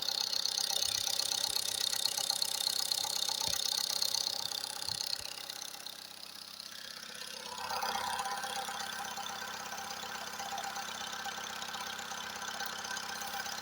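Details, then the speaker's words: Recently repaired engine, quiet with no knocks when cold, now warmed up after revving. Oil pressure high, check-engine light off, vibrations starting. A steady tapping knock, about two or three per second, audible even in the cabin; source unknown. "Начинаются какие-то вибрации. Так, будем искать, где что трещит. Вот, пожалуйста, стук начался."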